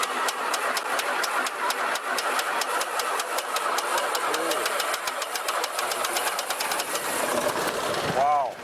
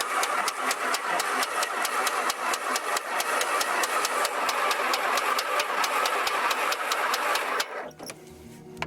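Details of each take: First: 1949 Beechcraft A35 V-tail Bonanza, unstarted about 7 years, started at full throttle then pulled to idle while pumping: rapid, even firing pulses catch and hold a steady run; normal start, oil pressure rising. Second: 1949 Beechcraft A35 V-tail Bonanza, unstarted about 7 years, primed with a few pumps: steady starter chugging about four beats a second for nearly eight seconds, never catches; cranks but won't start, owner assumes spark issue.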